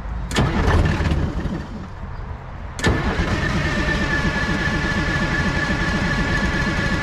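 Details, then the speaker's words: 1970s Chevy C70 with a Detroit Diesel 6V53 two-stroke that sat 30 years, after the throttle linkage was smacked with a hammer: steady cranking at about three beats a second that never catches; no-start. "And now it doesn't want to start up."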